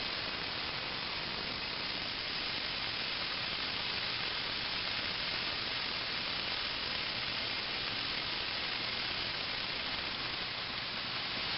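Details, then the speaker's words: Fogless mister, needle valve opened wide: steady even high hiss, no sputter or pulsing, putting out plenty of coolant; normal spray. "even though that's a fair amount of coolant uh coming out of my hand uh it doesn't really make a fog or a Mist per se I mean it seems to work pretty Dar well"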